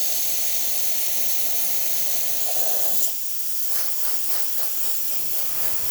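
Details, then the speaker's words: Isomac E-61 espresso machine after full service (descale, backflush, new gaskets and shower screen), steam wand tested: strong steady high hiss, no sputter or pressure drop for three seconds, then tails off; normal steam wand operation. "Now we're going to test the steamer. I think working"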